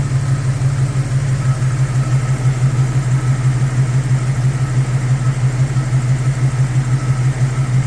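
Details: 1999 Jeep XJ idling after a piston swap to cure piston slap: steady, deep hum with an even, gentle pulse and no sharp knocking; normal idle.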